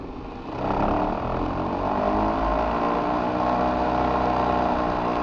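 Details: Older Trane XV90 two-stage furnace with an ECM-controlled blower motor, started from the thermostat: a loud, rough whirring roar builds as the blower comes up and stays coarse and uneven; failing ECM blower motor.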